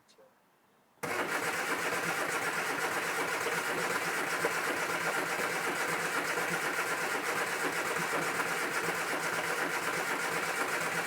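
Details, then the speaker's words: Cranking, no start on a rare Mk1 Austin Mini barn find, after lube down each bore, electric fuel pump on and throttle free: starter churns evenly about four turns a second for ten seconds without a single firing stroke. "no firing so far right so it's not firing but what I'll do is I'm going to take the air filter off and just have a look"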